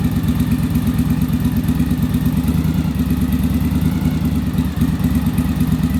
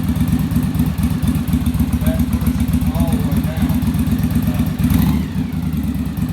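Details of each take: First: Yamaha Virago V-twin after bench and on-engine manometer carburettor sync: an even, lumpy idle at about three beats a second, no misses or hunting, smoother idle. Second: Yamaha Virago V-twin, on-engine carburetor sync after a bench sync, linkage deliberately turned clockwise: lumpy, uneven idle with stumbling pulses; carbs out of balance.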